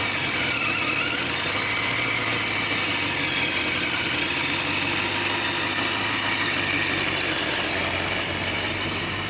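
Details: Engine just started after exhaust work; loud raspy idle with sharp puffing and hiss, sounding like no exhaust: exhaust leak at the header flange, upper flange touching and likely uneven; H pipe to be ordered.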